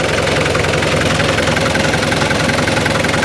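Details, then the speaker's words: Mitsubishi 2.5-tonne diesel forklift after new battery and heater plugs refitted for hard starting: firm, even diesel clatter at raised revs with no misses; charging reads 14.2 V and it cranks much quicker, so the old battery was probably failing. "You can hear the engine there. It turns an awful lot quicker there on the start as well. So the battery probably was on its way out."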